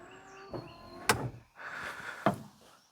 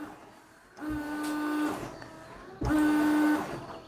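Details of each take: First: 1999 Daewoo Matiz with a new washer pump and the rear hose refitted. A short electric whirr of about half a second between clicks, spinning up cleanly with no strain. The washer pump is working. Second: 1999 Daewoo Matiz with a newly replaced washer pump. Two short bursts of steady mid-pitched pump whirr, each under a second. The pump runs, but the rear washer hose has popped off.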